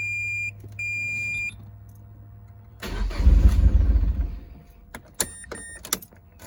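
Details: Turbo Mazda NC Miata that sat two weeks with a drained battery, then died on the interstate after about 12 miles: chime, then about a second and a half of cranking that never catches. Crank, no start.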